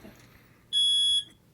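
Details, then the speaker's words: Older smoke alarm held on test: one piercing high beep about half a second long; this older type gives two quiet beeps and then a loud one, its normal test pattern. "Yeah, it's one of those older ones that does two quiet beeps and loud."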